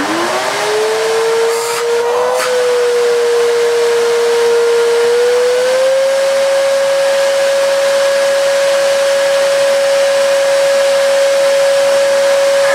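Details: Miele S2111 vacuum, found dead, first run after repairing a broken solder joint: motor spins up to a loud steady whine and holds; works but sounds terrible; owner suspects the dirty fan rather than the motor.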